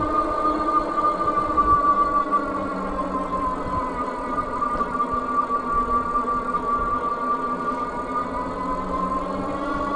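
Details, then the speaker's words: Troxus Lynx Plus e-bike on throttle only, climbing a steep hill at about 10–11 mph: steady mid-pitched hub motor whine over the ride noise, slightly louder than average; normal hub motor gear whine under load. "And you hear that in the motor. You hear it working. You hear that whine. I would not say it's like horrible, but it is a little bit louder than average, I would say."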